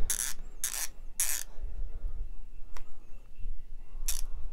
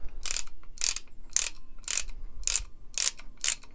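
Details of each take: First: Harbor Freight Icon 1/2 in 50-250 ft-lb flex head torque wrench ratchet, well oiled. Quick bursts of crisp, even clicks with quiet gaps between strokes, judged to sound better than a Pittsburgh wrench (possibly 36 tooth). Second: Comparison torque wrench, likely a Pittsburgh, possibly a 36-tooth ratchet, swung by hand against the new Icon: seven bursts of harsh, rattly clicking in about four seconds, a coarser, cheaper-sounding ratchet action that doesn't sound as good.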